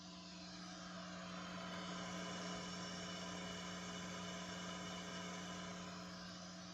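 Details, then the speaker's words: Bass compressor, wine cellar and 10-band EQ fed from a daisy-chain supply into an amplifier at full volume, pedals disengaged: a steady low hum with hiss, the supply's noise floor; the hum disappears on the Caline CP-207 isolated supply. "So it's got a little bit of a noise floor, and the pedals are not engaged."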